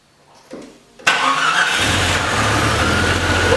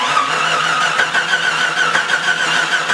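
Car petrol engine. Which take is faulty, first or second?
second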